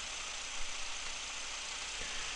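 Steady, even idle hum with no misses, stumbles or knocks; the four-cylinder petrol engine is idling cleanly with all cylinders firing.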